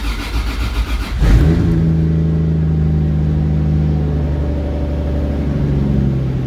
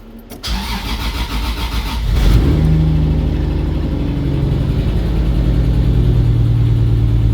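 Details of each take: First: 1JZ head on 2JZ block (1.5JZ) build, after reconnecting the open-circuit cylinder 6 coil pack; short crank, fires, revs flare, then settles into a steady even idle with no miss. Pressures around 60. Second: Engine with 1JZ head on 2JZ block (1.5JZ build), start after trigger fix; cranks and catches into a loud idle with a lumpy beat. Slight misfire; the ECU reports an open circuit on the cylinder 6 coil pack.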